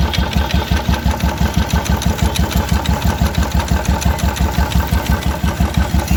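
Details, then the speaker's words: Royal Enfield Electra 350, 2016 model, after clutch-side repair and clutch nut retightening: single-cylinder idle with steady even thump about three beats a second, no rattle; earlier clutch-side noise gone. "इसमें कोई आवाज नहीं आ रही है"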